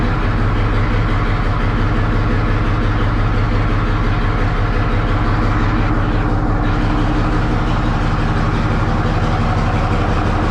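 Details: 1963 Diamond T 931-CN cabover semi diesel, first run after sitting one to two years: deep even clatter at steady slow idle, no misses or knocks; idling healthy.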